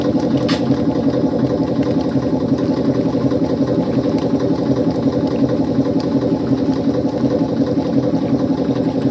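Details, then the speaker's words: 1955 Frigidaire Unimatic washer on a small load of whites, timer manually advanced for less water, pumping out dirty water; a steady, even motor hum with a soft regular churn and no knocks or grinding: normal pump operation. "Now that stuff is dirty, and that sound is the pump running."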